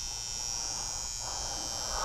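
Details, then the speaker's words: Garage furnace fan control center: harsh, constant electrical buzz with shrill high edge, recorded close to control board; coming from the transformer, wavering when moved; transformer suspected failing. "So the noise seems to be coming from this transformer here."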